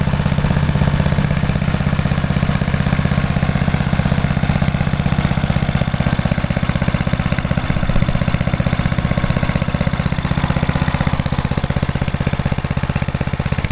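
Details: Idle of a small single-cylinder (1986 Lawnboy 8461 or 1998 MTD chipper/shredder) at season start-up, started on choke at half throttle, oil checked, TruFuel in the tank; chugs at a steady, even beat with a firm low thump and no misfires. Healthy.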